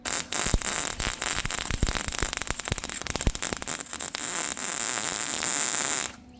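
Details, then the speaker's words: Welding expanded metal decking back onto a utility trailer over paint. The arc pops and crackles erratically for about four seconds, then settles into a steady frying hiss once it burns through the paint to metal. "You can hear when she burns through that it's welding. So these are going to be all pretty ugly because unless I sandblast or something, I'm not going to get through all that stuff."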